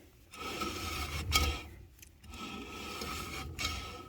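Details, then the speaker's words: 1989 Dodge Dakota rear drum brake after installing new brake shoes and wheel cylinders, drum hand-spun: dry scraping rub at one spot each turn, slight resistance; owner suspects the drum is slightly worn or not true. "so actually sounds like my drum isn't perfect either because there's that one little spot right there"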